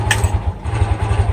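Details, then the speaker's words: Fury 125 New Breed motorcycle that stalled and bogged under throttle, after replacing the CDI: even, steady low single-cylinder pulses at idle with no misses, a healthy, settled idle. "So, ayan na siya guys. Mas maganda na yung minor niya."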